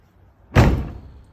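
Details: Toyota FJ Cruiser side-hinged rear door closing after the rear door guide was replaced and the striker greased with lithium grease: a single solid, deep thud with no rattle afterward, a normal close.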